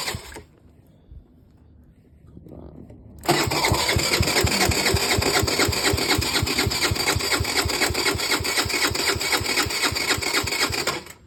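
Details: Tao Tao 50cc moped on a cold day, after some work: steady quick cranking about four pulses a second for eight seconds, never fires; cranks but won't start.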